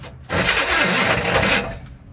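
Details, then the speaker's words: Engine cranked with a booster pack fitted, and the starter is dragging: a harsh, strained whir turns the engine over sluggishly for about a second, then dies away. The starter is suspected of hanging up or not being shimmed properly, with brief smoke from the back. "Yeah, just it sounds I think it's the starter hanging up. Like it almost sounds like the starter may not be shimmed properly."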